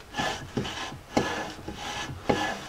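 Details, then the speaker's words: Rear drum brake on a 1999 Jeep Cherokee XJ, freshly cleaned, lubricated and painted drum refitted and adjusted; drum turned by hand gives a soft rhythmic scrape about twice a second, light even shoe drag, correctly adjusted. "have a little bit of resistance now i'm going to check back"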